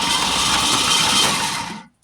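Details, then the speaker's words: 1971 Ford Torino stored 25-30 years in a garage, new battery, Marvel Mystery Oil sprayed in: starter spins the engine briskly and evenly for a couple of seconds with no binding or knock; engine turns freely, not seized. "So it is indeed not stuck, which is super cool. So go ahead and give her a little more. Give her a few rotations."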